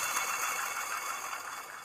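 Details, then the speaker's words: Old zero-turn mower deck spindle spun by hand: dry, gritty hiss and rasp fading as it slows; worn, noisy spindle bearings, so all three spindles are being replaced. "But, it sounds like the bearings aren't in the greatest of shape."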